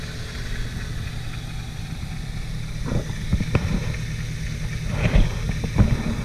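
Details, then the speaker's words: 2004 Ford Focus SVT cold start: low, uneven idle with scattered sharp clacks from the engine bay. Owner suspects a bad rod bearing, but it could be an accessory pulley with a failing bearing; not confirmed. "you know it really could just be an accessory pulling with the bearing going out in that i'm not 100 sure"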